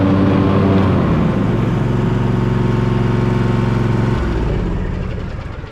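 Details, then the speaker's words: Husqvarna Z254F zero-turn mower with a newly fitted 54-inch deck belt that had been twisted, blades engaged: a steady, even engine drone with a smooth deck whir, no slapping or squeal, then winding down; the belt runs properly. "You can see the belt. It seems to be running just fine."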